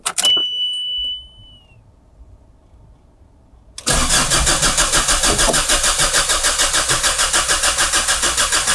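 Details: Mazda Bongo camper van: starter chirps briefly and goes quiet as power is lost, then the engine catches and runs with a fast steady pulse; an intermittent battery or electrical fault is suspected.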